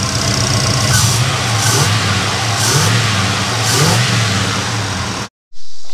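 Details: 1976 Pontiac Trans Am V8 just after Sniper II fuel injection install, plus new fuel system and power steering line, first start: deep, even burble, throttle blips rising and settling cleanly, no knocks or misses; healthy idle and rev.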